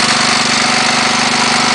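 A hollow, rapid knock keeps pace with the engine's firing under a harsh, raspy idle, typical of a worn piston slapping in its bore.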